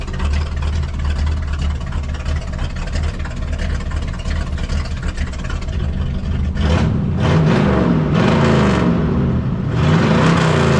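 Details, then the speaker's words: Freshly installed Cummins diesel, straight-piped, in a 3+3 build: loud even rumble at idle, then clean throttle blips rising and falling without knocks or misses; normal running. "That sounds so good. No. Oh, I was going to leave it straight piped."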